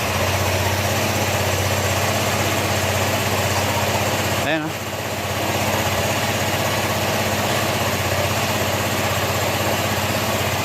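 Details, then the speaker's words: Honda ADV160 at 31,941 km, after engine overhaul with parts replaced, running without airbox: even single-cylinder idle about four beats a second, airy intake hiss, no knocks; now quiet compared with before, normal idle. "tahimik na yung makina niya mga sir. Yung narinig nyo parang may hangin dahil gawa kasi ng ano, wala pang airbox, pero malayo na yung tunog niya kanina nung hindi pa na overhaul o nabubuksan o napapalitan ng pisa."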